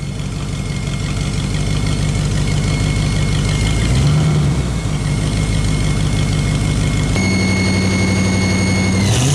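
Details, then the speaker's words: S10 pickup engine sitting 2–3 years, just restarted after fuel pump and throttle-body pressure regulator work: rough idle with fast ticking puffs from several exhaust leaks and a thin squeal from a brand-new belt showing a worn spot. "Now there's a few exhaust leaks, if you didn't hear it, that I have to go back over. And there is something on the belt I'll show you real quick."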